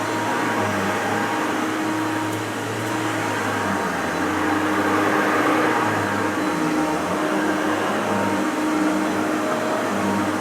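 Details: Maytag U5131 upright vacuum on carpet: steady motor roar with a faint, wavering high squeak; owner suspects the belt needs replacing.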